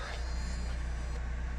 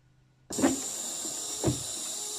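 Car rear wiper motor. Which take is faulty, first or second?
second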